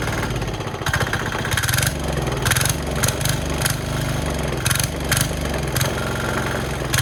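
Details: Cheap Chinese single-cylinder diesel from Amazon on plywood, started with throttle just off the stop and decompressor: catches within a second, then even steady thump with no misses or knocks; normal idle.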